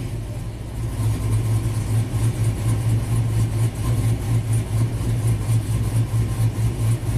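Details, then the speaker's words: 2000 GMC Sierra 5.3 V8, tuned with cam and exhaust, after codes cleared and crank relearn: steady V8 drone at raised revs, even pulses, no misfire; the P0336 misfire was a new CKP sensor pushed out of place by rust in its bore. "amazing this truck is fixed so simple problem but kind of weird"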